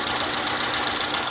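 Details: 2004 VW Fox 1.0 8-valve flex after repair of misfire and high fuel consumption, spark plugs replaced: even, steady idle with light regular injector tick, no stumble; all cylinders firing, running smoothly.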